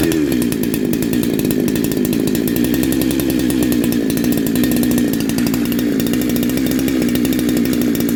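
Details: Neo-tec NH872 chainsaw (372XP clone), big bore kit, first start, warming up on a 31° day: crisp steady high-rev buzz without surging or stumbling, a bit loud but clean; normal running.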